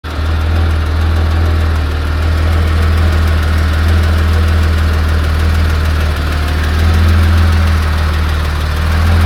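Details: 1986 Porsche 911 3.2L at warm idle: steady low idle with a loose, uneven pulsing about four times a second over the engine note; unusual idle noise, source undetermined.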